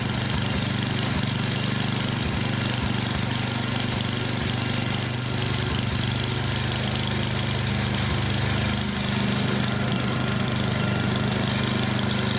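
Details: Yard Machines 24 in snowblower, 8 hp Tecumseh engine, hard-start diagnosis, primed several times; loud rough-edged single-cylinder chug about three and a half beats a second, steady, no stalling, runs normally.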